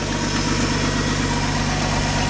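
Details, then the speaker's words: 1985 Ford F-150, 300 straight-six with 240,000 miles, after cam gear replacement: steady even low idle rumble, no knocks or misses, sounds well broken in; slight exhaust leak audible on exhaust side. "other than that sounds like a well broken in 300 to me"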